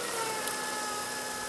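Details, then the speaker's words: Toyota Camry/Solara 3MZ-FE V6: thin, steady high whine over the idle hiss that goes away when the alternator plug is disconnected, with arcing and sparks visible; the alternator is failing. "Oh, that whining noise did go away. But by disconnecting this plug, you'll know if it's the alternator."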